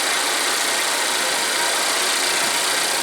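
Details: Volvo at high idle warming the catalysts after replacing the oil trap to clear DTC P0171: a steady, even idle with a smooth hiss. The earlier whistle is gone, and the engine runs normally.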